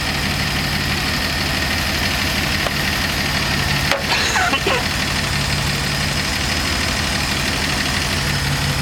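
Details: Dodge slant six van, original ignition parts refitted after electronic parts failed, timing being adjusted to about nine or ten degrees: warm engine idles smooth and even with no misses or knocks; normal idle.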